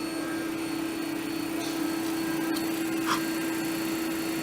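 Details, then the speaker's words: 3-phase motor on a mechanical trainer retrofitted with VFD, started with green push button via contactor control: steady even mid-pitched hum, no knocks, rubbing or wavering; normal running, red button stops it. "the mahdis that's running I can see I push on the red button stops the motor so control here trip the contactor and vice versa"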